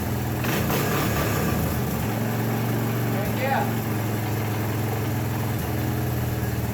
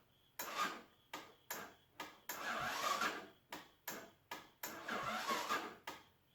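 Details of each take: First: 1984 Honda ATC 200ES Big Red after a top-end rebuild and valve adjustment, idle turned down: a steady low thumping idle with an even beat and no ticking or clatter; the earlier worrying noises are gone. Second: 1984 Honda ATC 200ES Big Red after a fresh top-end rebuild, on choke, electric start: short sluggish starter bursts with pauses that never catch; the engine cranks slowly because the battery is a little dead, so it is pull-started instead.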